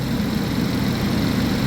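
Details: 2011 GMC Terrain, recurring P0341 cam code after new phaser solenoids and cam sensors; sputters once hot. Cold idle before a test drive to heat it: even, steady low rumble, no skips or knocks; normal.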